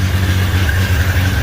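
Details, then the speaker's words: 1963 Rambler running after radiator replacement, longest run so far: deep, slightly uneven lumpy idle; engine doesn't sound too bad but needs a tune-up, cause unconfirmed. "overall the motor doesn't sound too bad so i'm pretty happy with that because this is obviously the longest i've got to hear it run [Music] definitely sounds like you could use a tune-up but uh hey i'll take it"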